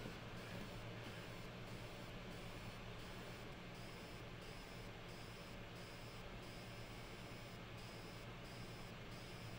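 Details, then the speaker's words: Blackmagic BMPCC6K camera on firmware 7.3, onboard mic gain raised, with one lens: a faint modulated whirring pulse about twice a second under hiss, gone on firmware 6.9.5; caused by a chrome-plated conductive lens adapter. "you can clearly hear a modulated sound now in the fan it seems"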